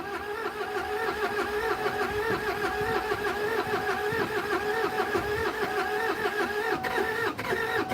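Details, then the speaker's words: Kia Sedona diesel project: starter cranks in a steady rhythm about a hundred strokes a minute and never fires, compression sounds suddenly soft; owner suspects air in the fuel line, possibly glow plugs. "And that sounds like I've suddenly lost compression. I shouldn't have. But yeah, that's gone soft. So that means I've got air in the fuel line."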